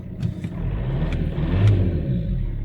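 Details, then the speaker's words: 2006 VW Passat B6 1.9 PD TDI, 318,000 km, which would previously start only in first gear: it idles in gear with a steady, even diesel clatter, no stumble; check-engine light still on. "итак все беру передачу вытяжки пофиг включаем сзади едем мотору все ровно"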